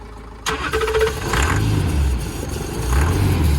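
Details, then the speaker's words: Range Rover diesel, previously non-starting, cranks and catches after a short crank, settling into a quiet, even low idle with no knocking; confirms diesel fuel starvation, owner hopes volume control valve. "There we go. It runs, and it's actually a very, very good quiet engine. So it's definitely diesel starvation."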